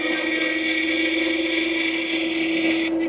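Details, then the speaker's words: WALLKE H7 AWD e-bike (3200 W, 60 Ah battery) in front-wheel-drive mode, pulling up a hill at 11 mph: steady motor whine with a fine buzzing rattle from the loose, finned headlight, gone when the headlight is held by hand. "That noise is just the headlight, guys. Not quite as good on front motor, but still pulled us up at 11 miles an hour. See, if I put my hand on that headlight, that noise is gone."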